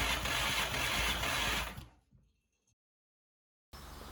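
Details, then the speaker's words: Porsche 924 S with swapped VW/Audi 1.8T AEB turbo engine, second ECU: harsh cranking under two seconds with no catch; turning the key shut off power to coils, injectors and more during cranking, so there was no start. "so yeah essentially every time i was turning the key it was just shutting down the power to most of the things that need to happen to make this work"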